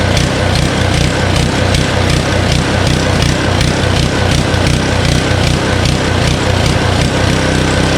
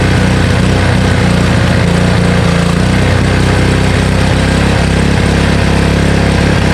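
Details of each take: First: Honda Harmony HS520 four-stroke single-cylinder snowblower in 21-degree cold, after only a quick-and-dirty carburetor clean: it thumps unevenly, then the note won't hold steady off choke. It runs fine on choke; the surging comes from a still partly clogged carburetor. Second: Honda Harmony HS520 four-stroke single-stage snowblower after carburetor clean and governor spring and idle screw adjustment: smooth, even single-cylinder putter holding steady speed with no hunting or surging; engine running healthy.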